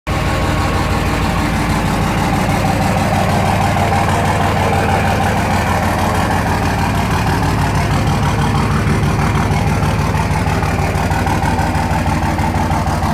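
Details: 2004 Dodge Ram 5.9 Cummins diesel after a ten-minute warm-up: hard, uneven clatter about three beats a second over a heavy drone at idle; rough knocking idle blamed on bad injectors.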